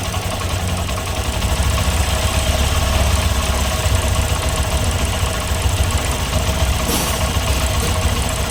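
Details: Honda SP Shine BS6 motorcycle at rough idle: a dense, rapid knock under the engine note that does not fade. Engine knocking, cause not yet pinned down.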